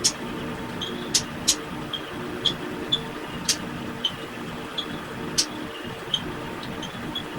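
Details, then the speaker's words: 2019 GE microwave after replacing the sticking transformer power relay on the control board: low hum while heating, then sharp high timer chirps; transformer and magnetron cut at zero, light and fan seconds later, a normal cycle end. "so you can see how this microwave killed power to the transform anron First Once the timer hit zero and then if you seconds later it kill power to the light in the fan"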